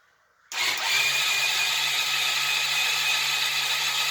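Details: Budget project motorcycle after sorting electrics and adding fuel, choke on, a wire disconnected while fiddling; starter spins with steady whirr and hiss for four seconds, engine never fires or catches; cranking, no start.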